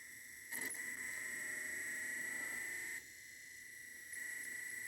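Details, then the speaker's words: Toshiba SD-P1900 portable DVD player after repairing the No Valid Disc error by cleaning sticky factory grease and re-oiling the laser assembly: thin steady high whine with short whirring bursts as the pickup seeks and disc spins up, loading the menu normally. "yep there you go it's picking up the menu now"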